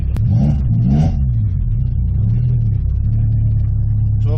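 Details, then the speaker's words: Honda B20 VTEC in a 99 Civic, on a test drive: steady low drone with a few revs, no knocks or misses; running okay but seems to drink gas heavily, needs tuning and a throttle cable adjustment. "so it is running it's running okay it needs to be tuned now"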